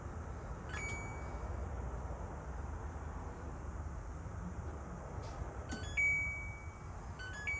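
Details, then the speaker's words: Older Kenmore microwave (titled Samsung) counts down but does not heat: only control-panel beeps, with no fan, turntable or magnetron hum. Suspected cause is switches not engaging, not confirmed. "one more time so it counts down and obviously it's not heating no sound no nothing"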